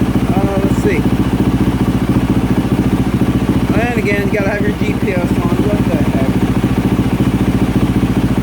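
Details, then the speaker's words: 2024 Yamaha YZ450F single-cylinder at idle after overheating repair (melted water spout); no trouble codes, 13 volts, water temperature 64°C then 75°C, about running temperature. Steady, even thumping, no misses or knocks; healthy, fully warm. "the water temperature is up to 64° okay let it get a little bit warmer okay she's up to 75° C is which has about running temperature"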